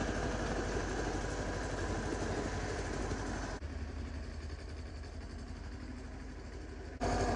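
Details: Yanmar 1500D diesel tractor running as the three-point hitch lifts a snow blade, after fixing hydraulic pump cavitation caused by a backwards-installed filter and new O-rings; even steady beat, takes load smoothly, no hydraulic whine or chatter; normal lift operation after repair.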